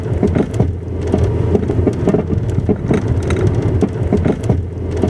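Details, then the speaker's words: Car crossing speed bumps and rough ground: dry, hard knocks two or three a second over low road rumble; suspected worn shock absorber, not confirmed. "cuando se deterioran causa un golpeteo seco y fuerte como el que estás escuchando en este"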